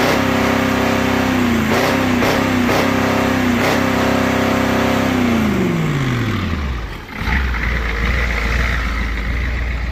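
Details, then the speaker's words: 1985 Ford F250 6.9 IDI naturally aspirated diesel, manual, in neutral: held at steady high governed speed then winds smoothly down; smoky, runs but truck won't move. Free rev to governed speed. "got a governor. There ain't no mosquitoes in the next 30 mile radius, but it has a governor for a reason, right?"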